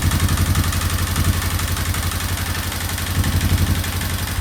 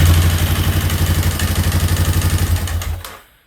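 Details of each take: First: Free single-cylinder quad first run after cleaning, oil poured in, excessively high idle turned down; steady thumping idle then clean rev rising and falling freely without stumbling, loud but healthy. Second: Free quad (ATV) after valves adjusted to factory clearance, valve cover still off; fast, even clatter about four per second over a thumping idle before shutting off; still loud, cause unclear.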